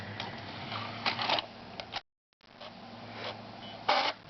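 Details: Xbox 360 optical drive, after the disc-clamp magnet was glued back in: low drive hum broken by harsh scraping bursts as the laser lens hits the spinning disc; movies play but games don't; fixed with a paper spacer under the magnet.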